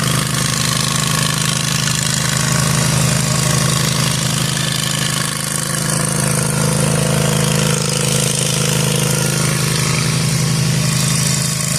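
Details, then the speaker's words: Zero-turn lawn mower cutting overgrown grass after deck repair with new spindles and bearings: steady engine drone under even load, no grinding or bearing whine from the deck. The new spindle bearings are very quiet and the mower is healthy. "Okay, guys. I could not be more impressed with how this just turned out. Now, I granted just a little section, but you seen how overgrown that was. These bearings on these new spindles are so quiet."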